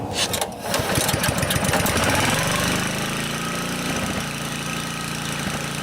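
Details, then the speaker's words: Honda HR215 HM lawnmower that was surging, after the carburetor slow (idle) jet was cleared and the idle screw reset: pull start, then a steady, even warm idle with no hunting; the fault is fixed. "looks like I have the Idol set about right so I got lucky there seems like it's idling fine once it warms up"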